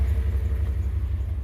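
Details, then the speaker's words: 2001 Dodge Ram 1500 4x4 after tightening loose exhaust manifold bolts on both sides: deep, even V8 rumble with steady pulses, the earlier ticking and spitting gone and the exhaust sealed. Normal idle after repair. "It actually don't sound too half bad now. It really sounded like shit before."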